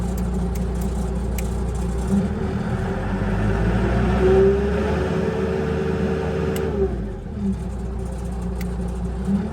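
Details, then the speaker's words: Bomag Hypac sheepsfoot vibratory roller diesel after replacing the throttle switch, starting-relay fuse still blowing; rumble climbs smoothly as throttle opens then drops back to even idle; normal engine revving. "Alright, well, it works."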